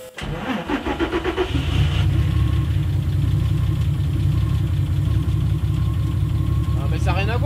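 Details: Peugeot 205 with turbo VR6 (per tags), first start after the fuel pump was removed and cleaned and the fuel system bled of air: starter cranks quickly, engine catches and settles into an even, steady idle.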